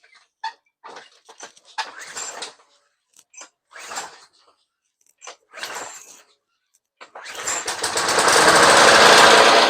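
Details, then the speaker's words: Roadside Craftsman 21-inch push mower, Briggs and Stratton 6.5 hp, very dirty air filter, starting fluid sprayed in: quiet hisses, then it fires for a couple of seconds and winds up; has spark and compression, carb probably needs cleaning. "I got some uh definitely got spark I definitely got some compression so uh probably need to clean the carb"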